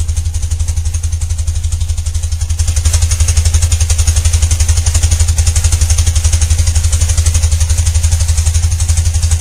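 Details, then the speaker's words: 1995 BMW Mystic twin, carbureted, sat a couple of weeks, just started: even, regular loping thump at idle, steady after a slight rise; healthy twin idling nicely. "But you can tell it starts up, idles nicely."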